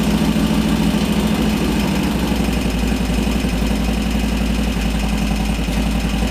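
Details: 2001 Harley Sportster 1200 conversion, Wiseco 10:1 pistons, idling just after an Andrews N2 cam and S&S lifter install: loud, loping V-twin idle with an uneven beat at about two pulses a second; it keeps running and no knocks stand out.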